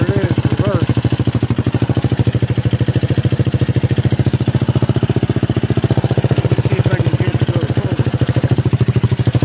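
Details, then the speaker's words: Buggy build single-cylinder engine, long unused: loud pulsing putter about three to four beats a second with uneven lumpy rhythm; rough running, owner suspects low oil and long disuse, not confirmed. "and it's not quite acting the way it's supposed to because she's low in oil so once I get oil in there things should start loosening up this thing hadn't ran in a good while I could tell just by the way it's behaving"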